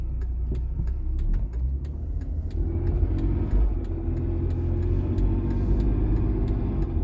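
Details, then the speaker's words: Volvo XC60 T6 six-cylinder turbo engine running with a very intense fast, sharp ticking clatter over a low drone, diesel-like; owner suspects a collapsed lifter (tappet), not confirmed. "Parece que tem tipo um tucho descarregado. Tipo um barulho de carro diesel. Esquisito pra caramba."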